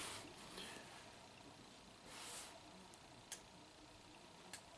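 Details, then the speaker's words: 2007 Acura RDX, 2.3L turbo, 210k miles, code P2263, while a scan tool runs bi-directional tests of the boost control and bypass (blow-off) control solenoids. A quiet bay with a few sharp, crisp clicks: the solenoids switch properly. "let's try the boost control solenoid hear a little click okay and then bypass control solenoid"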